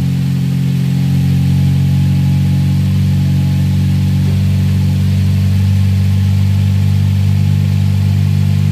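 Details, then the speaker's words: 2007 Toyota Vios Type G idling after fitting an open air filter and strut bar: steady, even low hum at constant pitch, no rise or fall over nine seconds; idle smooth and stable, no hunting. "Untuk langsam atau idle itu kedengarannya halus, ya kan, nggak naik turun."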